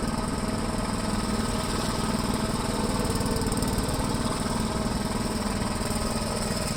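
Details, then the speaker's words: 1973 Gravely C8 tractor, donor single-cylinder engine after a swap and ignition timing; earlier backfiring has cleared up. Steady, even beat at about 200 pulses a minute with no pops or backfires: running smoothly. "it cleared it up i don't hear any more back firing or anything all right let me put the plow on it"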